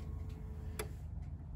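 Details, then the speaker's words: 1992 Ford F250 7.5L (460) V8, warmed up, key-on engine-off OBD I self-test for codes 31, 32, 34: engine off, one sharp click and faint ticks as actuators cycle normally; returned code 11, no codes. "you can hear it actuating and running through its test it's flashing so it's checking for the codes"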